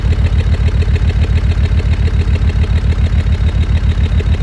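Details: Land Rover Discovery 2 Td5 diesel, cold idle: deep lumpy beat of about three and a half pulses per second, stumbling misfire that eases to normal idle, shorter as engine warms; happens every start, owner suspects ECU-controlled misfire, fuel cut or cold-engine protection.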